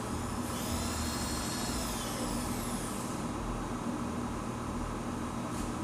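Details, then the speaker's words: Newly delivered PM-950V variable-speed milling machine, just oiled: steady, even hum with a high whine sliding in pitch as the speed is varied, no knocks or rattles; runs smoothly. "So it sounds good and smooth. I oiled the only two places I could find."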